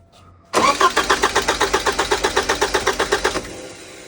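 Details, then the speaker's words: 1985 Porsche 944 after front engine seal rebuild, fuel system disconnected: about three seconds of crisp, even cranking pulses, roughly seven per second, stopping without firing; healthy crank, no start. "So obviously she's cranking over now."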